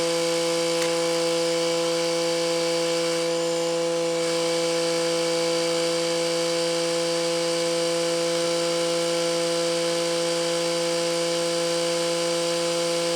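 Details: Excavator with Mitsubishi K3E diesel, first start after installing a new water pump; steady, even diesel drone holding one pitch with no knocking, rattling or misses, idling normally.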